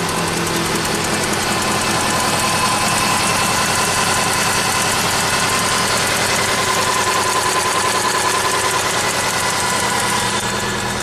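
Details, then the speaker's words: 2008 Subaru Legacy 2.5 SOHC, junkyard replacement engine, car at 164,000 miles: uneven lumpy idle stumbling two to three times a second with a tick; cylinder 4 misfire from lost compression, injector, coil and plug swaps didn't help. "oh what do we have today 2008 Subaru Legacy with a misfire and an engine tick"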